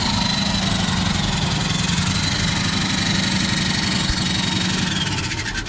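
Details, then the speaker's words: Jeep first drive after 24 years sitting, engine freed and revived: loud, rough, ragged coarse rasping roar after hitting second hard, with bad smell; owner suspects exhaust blew; abnormal engine noise. "Don't know what that is, but it sounds bad. And it smells worse."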